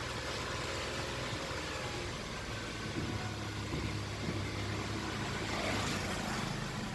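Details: Nissan March after a fix for a squealing worn engine drive belt (auto tensioner): smooth, steady idle with no chirp or squeal from the front belts, power steering side quiet; normal idle.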